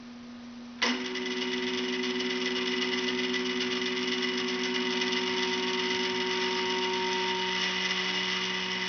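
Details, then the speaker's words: 425 oz/in stepper motor on a Gecko G540 driver, jogged forward with the current trim at maximum: loud, steady, high-pitched buzzy whine; quieter as the trim is turned down. "so i'm gonna i'm gonna jog the motor forward and i'm gonna take the trim all the way to the top and you can listen to to see what that sounds like"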